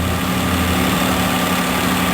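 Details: 2015 Dodge Grand Caravan after oil pressure sensor replacement (no-start complaint): steady, even idle with a smooth hum and no ticks, knocks or misses; successful repair, engine running healthy.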